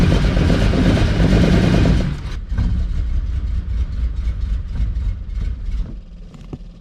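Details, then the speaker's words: Ferrari 400GT carbureted V12 with side-draft carburettors, as delivered: deep rumble dropping off then chugging unevenly near stalling, felt like running on six cylinders with no power, won't idle. "the fact that this car runs like crap I mean I could barely get it off the truck um it really felt like it was running only on on uh six cylinders I mean it just didn't have any power whatsoever and"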